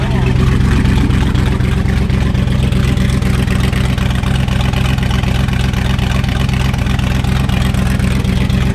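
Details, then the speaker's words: Wrecked C6 Corvette Z06 V8 with Texas Speed heads and cam, back up and running after being thought down on compression: deep, loping idle with a strong steady chop about four per second, typical big-cam lump; normal running. "that's the little floppy cam yeah back up and running all right so she's back up she's running"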